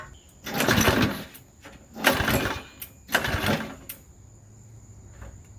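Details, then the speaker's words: Modified Briggs and Stratton engine for an airplane project, new crankcase oil flicker, bungee-corded to a chair, primed and pull-started: three short one-second bursts of firing dying between pulls; catches but won't keep running, gas leaking out. "so sketchy almost oh gas is coming out all right I'm gonna try again"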